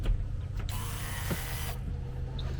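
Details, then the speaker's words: GT40 Nautique low-pressure fuel pump (PCM RA080018) on a gauge gives a short electric buzz of about one second per key cycle; pressure reaches only about 2.5, then 5–11, then 20 PSI, slowly dropping and stagnating; weak pump. "so jumps up to about 2 and 1 12 PSI for one click can do a second one and now we're at maybe about six or 11 PSI though the first one was about five third times the charm goes all the way up to 20 psi and you can see it's slowly dropping a little bit and now it's kind of stagnating"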